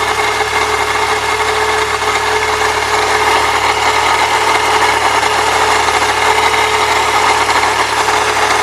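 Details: 1998 Saturn SL2 DOHC at idle: constant gritty raspy grind with no pitch change, not worse with A/C on, disappears without the belt; idler and tensioner pulleys replaced without cure, so grinding is elsewhere in the belt drive.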